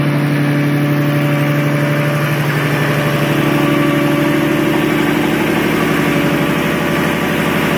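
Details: RB26DETT engine in an S13: rough, uneven idle beat with lifting tone as it revs slightly; odd extra noise, source unclear; abnormal engine noise.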